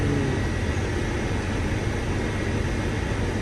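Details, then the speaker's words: Fiat Bravo 1.6 Multijet: steady heavy whooshing roar with low rumble, radiator fan running loud, not heard before; first-speed fan resistor found faulty. "abi sesi nasıl değişti Farkında mısın Böyle bir şey yoktu önceden açtığımızda değil mi bana fan sesi bu"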